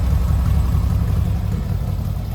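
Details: 1970 VW Westfalia flat-four after engine compartment upgrades with new Weber 40 carburetors: steady, even low rumble at idle with no misses or knocks; 50 psi oil pressure and 4 psi fuel pressure, sounding really good.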